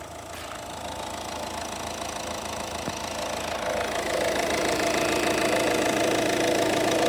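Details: 2018 Peugeot 2008 1.6 BlueHDi diesel at idle: steady ticking knock of about three and a half beats a second, growing slightly louder, located around the timing end of the engine.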